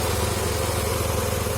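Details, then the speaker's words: 2003 Honda Accord V6 with freshly swapped engine (previous one had rod knock), radiator fans cycled off; steady, even smooth idle with no misses, knocks or ticks, harmonic balancer looks good; normal idle. "But so far everything seems very good, runs smooth."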